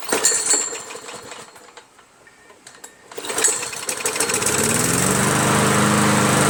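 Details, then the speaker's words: MTD push mower with a Predator engine, muffler reattached and a throttle cable fitted, refueled and run up to full throttle: steady, even single-cylinder buzz with no misses or knocks. Healthy, normal running. "That's not bad. I like it. I like the Predator engine now, man. It's really pretty cool. I'm impressed with it."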